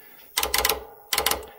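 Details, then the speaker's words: WARN winch solenoid pack on the bench, 12 V supply applied to the green terminal: two short bursts of sharp rattling clicks about three quarters of a second apart as the relay armature pulls in; the solenoid switches, current flow not yet verified. "We can put a positive supply on this side. This is the green terminal, and just see if it moves, see if it makes a noise."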